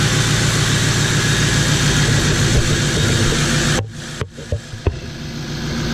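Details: 1977 Ford F250 crew cab with swapped 6.0L Powerstroke diesel: steady even clatter at idle with no misses or knocks, briefly cut and picking back up; healthy running, loud, smokes a little.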